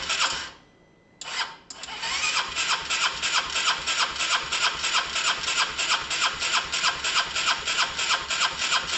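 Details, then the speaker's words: Honda SH125 on a start attempt after rewiring and a new relay: steady cranking with good compression but no firing, plus an odd kick. Spark is untested and the owner suspects the timing or fueling is set wrong. "it's uh that was interesting guys there was some sort of kick there was some sort of kick something um i'm gonna try again a couple of times in case it's just all the fuels just getting around"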